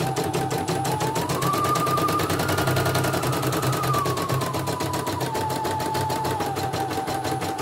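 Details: CNY E900 embroidery machine, in for heavy turning and hissing, after replacing the motor (dynamo) and testing the sensor: fast even stitching clatter, motor tone rising and settling with speed, no skips; stitching normally.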